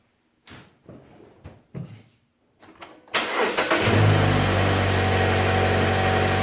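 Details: 2015 Mazda 3 GT Skyactiv after replacing spark plugs: a few scrapes and clicks, then starter catches, engine flares and settles into a smooth, even idle with no misfire.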